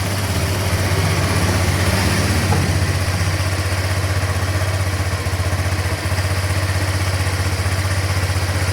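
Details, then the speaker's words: Honda Vario 125 scooter after fixing radiator coolant running out quickly: smooth, even idle, steady low beat about three pulses a second, no ticking or rattle; coolant no longer spurting, engine not overheated, healthy. "Berarti untuk mesinnya masih aman ya, ndak sampai overhead nih seperti ini tuh."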